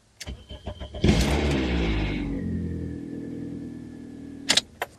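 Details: 2007 Toyota Matrix (Pontiac Vibe), towed in as no crank, no start, just after a new Denso starter was fitted: a few clicks, then a short even crank, catching fast, flaring briefly and settling to a smooth idle.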